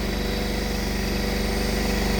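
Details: Risler V975 TMR mixer, about 2,700 hours, just serviced, unloading feed into the bunk: steady, evenly paced exhaust pulses at constant high revs with a clean, even note, so the engine is running smoothly under load.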